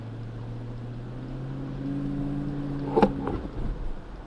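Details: 2007 Dodge Magnum V8 on a test drive after front/rear brake service, windows down: low engine drone climbing steadily in pitch under acceleration, smooth and even with no knocks or misses, a hammy roar; healthy V8, no brake grinding.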